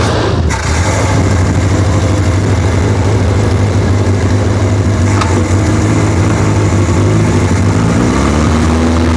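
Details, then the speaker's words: 1976 Triumph Spitfire 1500, first start after sitting dormant for years on a temporary fuel supply: catches and settles into a low, lumpy idle whose speed wanders; carburetor has never been adjusted, so the idle is unsteady and needs adjusting. "still doesn't want quite idle well carburetor has never been adjusted"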